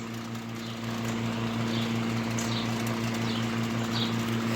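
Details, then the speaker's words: Vintage window fan, steady low motor hum with a light buzzing rattle; the noise is not the fan itself but loose side extension/mounting arms vibrating against it, going quiet. "rattling you're hearing isn't a fan it's these arms see how it gets quiet"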